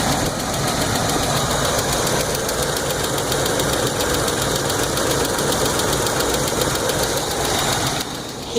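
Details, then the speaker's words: 1981 Buick Electra Limited after a carburetor change, idling: fast light ticking about three or four per second over the idle. Owner blames rocker arms going bad because the EGR valve is poorly positioned; new rocker arms are bought to fit. "now I bought new rocker arms to put on it um and the reason being is you can hear a tick if you listen to the way the engine is sounding yeah I don't know if you can hear that but that is the rocker arm that are going bad because of poor positioning of the EGR valve"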